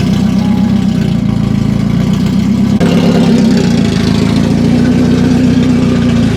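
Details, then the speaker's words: Non-running BMW E30 restoration with the exhaust not yet fitted, idling with a split intake boot letting in unmetered air. The idle is rough and surging, with the tone hunting up and down. Idle surging from a vacuum leak. "So we are going to put this back on and still start the car up, but it will be kind of idling funny because there is a vacuum leak. So like I mentioned, the engine is getting unmetered air, so there will be surging, but you guys can hear the difference."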